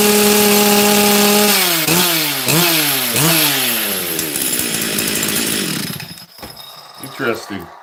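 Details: Chainsaw blown up while milling on a brand-new top end, now with a brand-new carburetor: revs climb and fall in repeated pulls, then it burbles and sags. It runs far too rich, as though limiter-capped; the high jet is being leaned.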